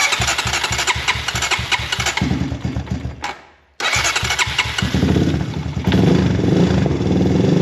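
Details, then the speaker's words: Honda TRX250X/250EX ATV after service and new spark plug, cold start in freezing weather without choke: single cylinder chugs unevenly about four beats a second, stalls, restarts and stumbles before revving; notoriously hard cold starter, needs choke. "Like I said, it's freezing out right now and I didn't choke it. Let's choke it for a second here. You gotta play with the choke to get it just right. These machines, like I said, very hard to cold start."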